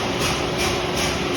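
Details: Paint sandmill after bearing replacement and screen cleaning: steady mechanical whir with soft even pulse about every half second, no grinding or knocking; running normally.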